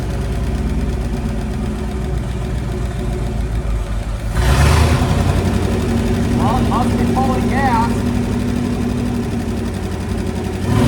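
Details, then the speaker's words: 1966 Dodge Coronet wagon Poly 318 V8 with points ignition, run briefly on the ground without coolant: runs fairly evenly with a light, quick tick over the idle, suspected lifter tick on one bank. "got a little bit of a lifter tick on the other side it sounds like can't run it too long here we don't have any water in it"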